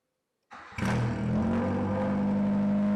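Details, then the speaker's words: Nissan Sunny/Pulsar N13, first start with a new shotgun exhaust carrying only one small welded-in silencer. It cranks, catches and revs into a loud, raw, booming drone with a sharp bark; there is too little silencing in the exhaust. "I think I'm going to have to put another silencer in that exhaust because it's a bit bloody loud, but it sounds cool nonetheless."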